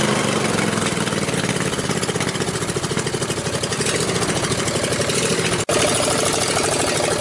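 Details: Riding mower single-cylinder engine after rewiring and bypassing the safety switches and adding a push-start button: loud, crisp open-pipe popping, firing evenly at a steady idle with no skips, a healthy normal idle.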